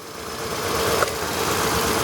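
Idle with a faint uneven stumble under a steady hum; it fits a single-cylinder misfire, though the beat is hard to pick out.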